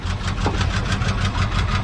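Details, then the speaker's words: Pickup truck engine started with ether, valve train not getting oil: steady idle with crisp lifter tapping about six or seven a second. Oil starvation is suspected and the heads may need cleaning. "You can hear the valve knocking. So you can hear how the lifters are tap, tap, tap, tap, tap, tap."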